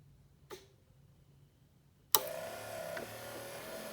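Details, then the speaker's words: 1974 C3 Corvette wiper motor, newly hooked up with a Painless wiring harness, on battery power: a sharp click, then a quiet steady whir with no knocks or grinding as it runs on low (switch position 1), then parks when switched off. "and that should be low, and turn it off, and it goes to a park position."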